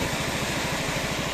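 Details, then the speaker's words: 2016 Yamaha XMAX 250 scooter after major service, variator service, antifreeze change and refit of an original used exhaust, warm: steady idle with even exhaust beat and constant radiator fan rush; normal warm idle with fan running. "ses ne kadar geliyor bilmiyorum ama gayet böyle durana kadar çalışsın Evet sesten anlayabilirsiniz fanın açıp açmadığını en basiti"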